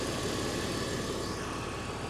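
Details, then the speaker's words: 2004 BMW Z4 2.5i straight six, idling in the engine bay near an oxygen sensor: quiet, smooth, even idle with no tapping or stumble, "solid as a rock", no leaks, smoke or odd smell, green coolant; normal idle. "she's solid as a rock she really is I don't see leaks I don't see any puffs of smoke or anything"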